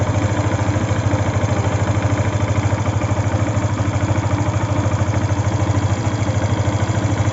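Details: Yamaha FZ V2 at idle: steady, evenly spaced knocking pulse of about three or four a second over a low hum; abnormal engine noise, cause not pinned down.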